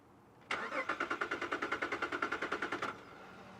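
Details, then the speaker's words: 2007 Jeep Liberty just after a new battery install: the starter cranks in a fast, even chatter, about three pulses a second for two seconds, then stops without catching. The owner expected start-and-die relearning behaviour after a dead battery; cause unclear. "now that's what'll happen usually after you have a dead battery it'll start and die i switch it off switch it back on and then it'll start and go because what it's trying to do is find its home find its sensors and all that fun stuff well that's weird"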